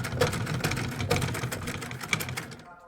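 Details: Light, even clatter of needle and shuttle with no snagging, after shuttle timing repair (shuttle point had been arriving too late, thread catching); bobbin case, feed dogs and needle plate refitted, thread now picks up cleanly, smooth healthy stitching.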